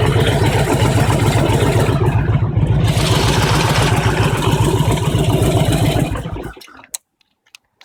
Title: Harley Engine Knock - when engine is hot